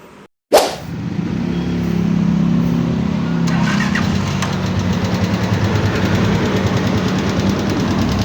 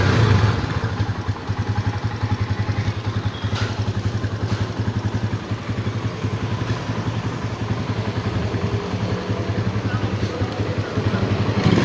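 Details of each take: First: Microbike EXT motorcycle before a tune-up, so noisy the owner thought the engine needed a teardown: busy idle with fast, light ticking over the running note. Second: Microbike EXT motorcycle at idle after a tune-up, engine now very quiet: soft, even idle pulsing with no valve ticking or clatter. The earlier loud noise came from loose tappets, fixed by adjusting the tappets instead of an engine teardown.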